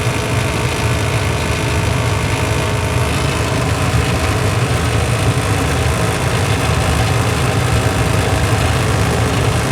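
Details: Furnace heating draft inducer motor running: steady droning hum with a rough, gritty buzz throughout; noisy draft inducer motor, cause unclear.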